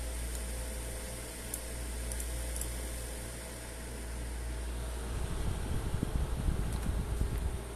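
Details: ZOTAC RTX 4070 graphics card fan: steady whoosh with a low buzzing flutter and rattle that gets rougher and louder as fan speed is increased; cause unknown.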